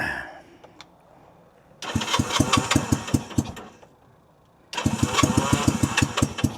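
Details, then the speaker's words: 1965 Honda CB160, 161cc parallel twin: fires in uneven popping bursts as if on one cylinder and won't idle or take throttle; compression check finds one cylinder barely blowing air, the other strong. "This cylinder is real weak. Barely blowing any air out of it. This one's got all kinds of compression."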